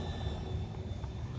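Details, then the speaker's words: Corsair 750HX PC power supply over 10 years old, feeding an RTX 3070: faint steady high whine over low hum only while the GPU is loaded folding, gone when paused; owner suspects dying PSU or coil whine. "I've tried plugging it in with different cords, different ports on here to the GPU, but it only seems to happen when the GPU is operating at a load, like folding."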